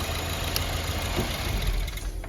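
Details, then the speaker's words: Car idling on MAP sensor backup with MAF unplugged, then MAF plugged back in: steady low idle rumble for two seconds, then stumbles and dies as the ECU tries to relearn the signal; engine stalls on MAF reconnection. "the process, it tries to relearn it, try to catch up on the signal of the MAP sensor, but while it's at it, it kills it."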